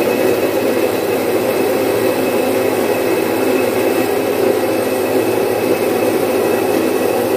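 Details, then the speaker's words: Domestic stone flour mill, single-phase 1 HP, splitting about 4.5–5 kg of moong into dal in three to four minutes. A constant, even rushing hum holds steady throughout, with no knocks or scraping; normal operation. "मित्रांनो आपण पाहू शकता अतिशय चांगल्या क्वालिटीची डाळ किती fast याच्यावर झालेली जवळपास तीन चार मिनिटामध्ये एवढी डाळ पाच किलो च डाळ आपण काढलेली आहे"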